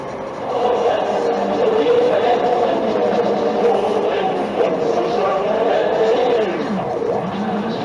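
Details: Hyundai Sonata EF rear suspension. A wavering, mid-pitched squeal rises and falls with each suspension movement: worn rear upper control arm bushings squeaking at the body-side mounts.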